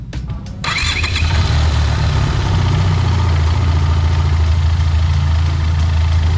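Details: Benelli TRK502X, 500cc four-stroke liquid-cooled twin, started after oil change and refill: starter cranks briefly, engine catches and settles into a steady even low idle with no knocks or rattles; normal.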